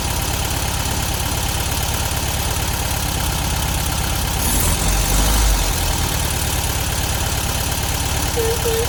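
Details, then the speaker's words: 1972 VW Beetle 1200 after valve clearance adjustment and new spark plugs, at idle: light busy ticking over a steady idle, now running on all 4 cylinders; owner suspects valves set too loose, valve train clatter. "So you could hear the valve train noise there. Definitely think we went a little bit overboard with those valve timings."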